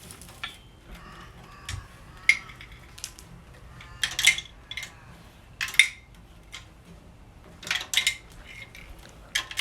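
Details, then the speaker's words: 1950 MG radiator, freshly recored, shaken by hand: irregular metallic clinks and rattles in bursts like a loose piece tumbling in the bottom tank; owner suspects a loose nut or object inside. "sounds like it's got a nut or something loose well shouldn't be any nuts in them at all um in the bottom tank"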